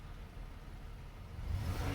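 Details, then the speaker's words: 2009 Impala salvage car, back on the road after replacing mangled passenger-side front wheel well parts; driven to 60 on local streets, shifts through all four gears; engine pulls smoothly, note swells evenly, no knocks or rattles; normal acceleration. "as you can hear she's running beautiful oh yeah i had her took her for a little rip up to 60"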